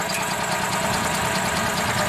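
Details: 2004 EZ-GO gasoline golf cart that quit after driving through a deep puddle: steady, even cranking drone that never catches or fires; crank no-start from a very weak spark at the coil.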